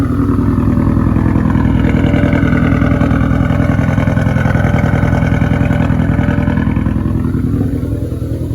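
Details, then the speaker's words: Ford Focus ST, after it was running fine and suddenly started sputtering: loud, lumpy run with an uneven chuffing beat and clatter as revs fall; cylinder 4 dead and misfiring, blown motor needing a new engine or rebuilt internals. "The ST was running fine, and then all of a sudden it started sputtering, and cylinder 4 has left the chat."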